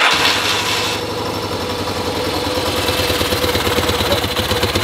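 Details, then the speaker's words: 1975 Yamaha XS650 twin, warm, settling into a steady, even low-thumping idle after raising the left carb's idle to balance the carbs, though the bowls are running low on fuel; normal idle. "but you could hear that Idol sounded a lot healthier"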